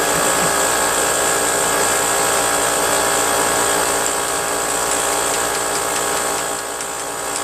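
Steady, even buzzing clatter from the pump at constant speed, no knocks or stumbles; the compressor is running normally.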